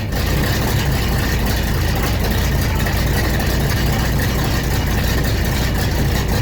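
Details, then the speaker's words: 1970 Pontiac LeMans/GTO V8 after custom 3-inch exhaust install, heater core connections leaking: deep, even burble at idle, steady and smooth with no knocks or misses, not nearly as loud as expected; normal idle. "But it runs, and it sounds good. Not nearly as loud as I thought it was going to be, thank goodness."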